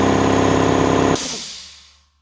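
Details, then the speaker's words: New Draper 150L belt-driven 2.2kW air compressor filling tank to 10 bar in exactly 5 minutes; steady pulsing pump drone, then sharp hiss as switch unloads and motor spins down; normal cut-off at correct pressure. "Right guys, so that took exactly 5 minutes and it cut off in the perfect place."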